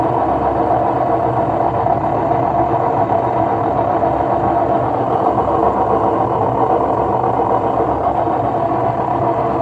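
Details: Loud, steady roaring rumble from an LG washing machine at high spin, caused by worn drum bearings; fix is replacing the two ball bearings and the seal.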